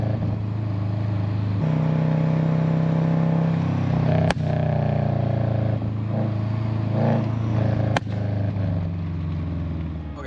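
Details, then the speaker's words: 2008 Subaru Legacy GT with Cobb downpipe and SPT catback, after fitting a GFB Respons hybrid blow-off valve: engine revs and drops off with two sharp single exhaust cracks a few seconds apart, overrun pops. "ay, so I don't know if you guys heard that, but there were some really, really, really loud pops. I mean, at least to me, they're super loud."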